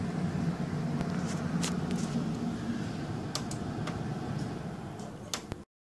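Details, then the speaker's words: Insignia 37-inch LCD TV at switch-on, picture works: low, rough buzzing hum with scattered clicks and ticks, consistent with a failing power supply capacitor. "well when she said it makes a funny noise she was not kidding are you ready to hear the worst noise a television has ever made"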